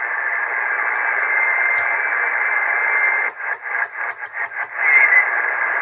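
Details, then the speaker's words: Cobra 148 GTL CB radio, no fault, with no band propagation: steady band hiss that chops up as it steps through channels, then settles on a signal; normal reception and tuning. "Não tem propagação, mas ó. O rádio tem recepção normal."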